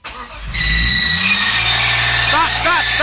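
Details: BMW on its second start-up with the TPS left unplugged and oil spraying out for unknown reasons: loud shrill squeal sweeping in pitch as the engine catches and revs; drive belt slipping on start-up, cause unknown.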